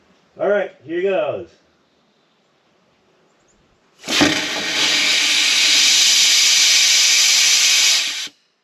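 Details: 1979 Mercedes 450SL sat 9 years, fuel return line blown out with compressed air: after a pause, one strong, unbroken four-second hiss with no choking, blowing fuel out; the return line is open.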